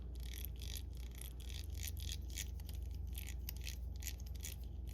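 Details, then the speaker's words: Gmade Buffalo RC crawler with a Hobbywing Fusion SE1200, just reassembled and greased after a new ring gear and pinion: faint gritty rasp pulsing about three times a second over a low drone; owner suspects the gear mesh grinds too much or the teeth are not lining up. "I'm thinking this is a little too loud. The gear mesh is sounding like it grinds a little too much."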